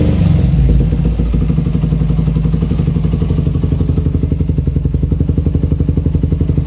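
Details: 2008 Suzuki Satria FU150 single after a carburettor rebuild with a 17.5 pilot jet (standard 12.5) for its racing exhaust: even, deep exhaust pulses at about four per second at idle, no popping or stumbling; running cleanly.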